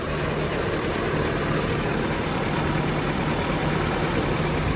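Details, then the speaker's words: 1983 Toyota pickup, carbureted 22R, after electric choke coil adjustment. Just started cold with one accelerator pump: smooth, even idle with a steady low hum and no misses or knocks. Normal cold idle. "Just started it. 1 pump of the accelerator is all it took."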